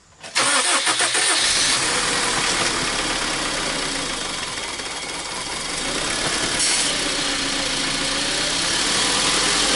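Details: 2003 Honda Civic after head gasket replacement, start and idle with smoke from gunk burning off the exhaust manifold: cranks, catches quickly, settles to a steady even idle with no knock or miss; normal, no overheating afterwards.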